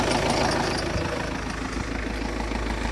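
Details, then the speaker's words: Vauxhall Zafira 1.9 CDTI 150 hp diesel after starter motor replacement, shorter belt bypassing hot AC compressor: steady idle carrying a light metallic rattle about three per second; owner suspects a loose bracket in the middle, engine otherwise good. "The engine sounds good, but there is like a metal sound, and I think it's that loose bracket there right in the middle."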